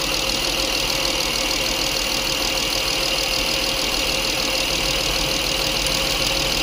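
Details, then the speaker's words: 2005 Honda Accord 3.5 V6 with P0455/P0497 after a purge valve replacement, steady idle with faint whine; the purge valve is not clicking when commanded to 20-30%, then starts clicking once pushed on. "Where is it? Is that new? I don't hear it clicking."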